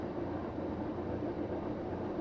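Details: Samsung WF9904RWE washing machine, empty drum at the start of an eco drum clean cycle heading to 70°C: the direct-drive motor spins the drum fairly fast with only a low even hum and soft rush, very quiet, healthy.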